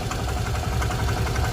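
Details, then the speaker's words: Access scooter at 47,921 km, idling with a steady low tuk-tuk knock on each beat once the throttle drops back; worn clutch bearing, which replacement cures. "आप देखें, वो टुक टुक टुक "टुक" शब्द था वह चला गया। देखो, यह फिर से है।"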